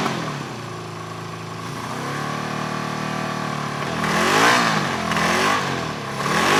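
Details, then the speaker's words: 1974 Honda CB350F four-cylinder revived after 20+ years sitting: stumbling, off-beat exhaust at idle and revs with one pulse missing. Runs on three cylinders with spark on all four. The No. 3 carburetor seems to get no fuel, since sprayed fluid ignites instantly, so it is a carb issue. "on three cylinders seems like number three carburetor is not getting fuel when we spray fluid in there it ignites instantly so it's definitely a carb issue there"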